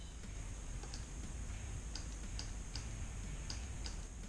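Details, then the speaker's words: 4L60E transmission shift solenoids bench-tested for code P0757 (shift solenoid B stuck on) with a 9-volt battery: sharp, light clicks over a low hum as each solenoid snaps when powered. Both passed. "you just listen for a clicking sound try that one more time I'll get you a little bit closer perfect they both pass the 9-volt battery test"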